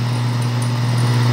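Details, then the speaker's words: Water pump motor fitted with a wrong, oversized capacitor after a previous repair, apparently without a thermal protector: a steady low hum with an uneven buzzing drone and heavy vibration. The motor labours and heats up quickly. "vibra mucho la bomba lo voy a desconectar porque de una vez me levanta temperatura y se me calienta"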